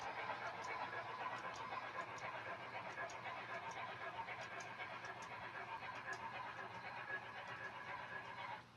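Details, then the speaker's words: Model train cars running on newly fitted replacement wheels meant to cure squeaking: even rolling hiss with light regular clicks about twice a second and no squeal anywhere; the new wheels run quietly. "I hear not a faintest even I don't even hear a faintest squeak at all but we'll let this run for a little bit and see if anything develops"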